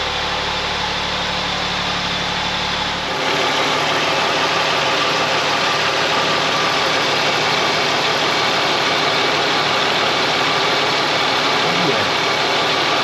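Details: Ford Mondeo ST220 V6, engine neglected in the past, first start after reconnecting breather pipes and vacuum hoses before full reassembly; brief change at start-up, then smooth steady idle hum, no knocks or misses; normal idle.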